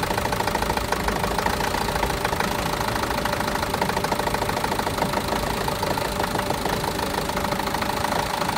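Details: Renault Master diesel, fault code DF065 misfire: rough idle with uneven knock about three beats a second over the clatter; all four injectors and their wiring already replaced with new ones, no change, cause unknown.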